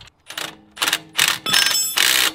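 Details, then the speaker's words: Reel mower cutting unit, reel jacked up after jamming into concrete: repeated sharp metallic clatter about twice a second as the reel motors turn the reel and it hits a high spot on the bed knife; owner may have the bed knife ground. "there's a high spot on the bed knife and when you run the motors on the reels you can hear it makes a loud racket"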